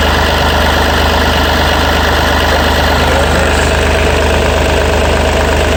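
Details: Yanmar 3TNV88 three-cylinder diesel in a Yanmar C30R, after fuel filter water separator service and bleeding: steady, even idle with no misses, knocks or odd noises; sounds healthy.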